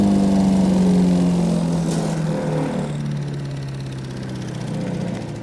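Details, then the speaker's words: Wood chipper chipping branches after a broken ear was welded; steady beat that sags slightly in pitch when biting into branches, then recovers. Normal running under load. "Okay, that's fixed. Did a good job shredding all that stuff up."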